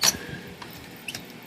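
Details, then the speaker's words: Royal Quiet De Luxe typewriter, dirty and in for cleaning service: a short, thin, high squeak as a hinge is moved, with a couple of fainter chirps after; a squeaking hinge. "even hinge squeaks hear that"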